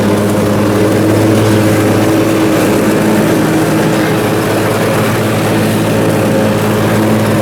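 Steady, even drone under mowing load with no hunting or surging; the twin runs smoothly now.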